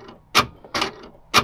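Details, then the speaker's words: Land Rover LR4 rear upper tailgate door lock actuator, newly replaced after old one pulled too weakly: three quick crisp even clacks about half a second apart; normal actuator operation. "that's what it's supposed to do make noise"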